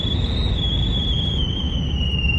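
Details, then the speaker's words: 1999 GMC Sierra pickup driving on the road: steady high whistle over road drone, sagging slightly in pitch, air leaking past a poorly sealed driver's window. "Okay, two things. Transmission fluid and the whistle."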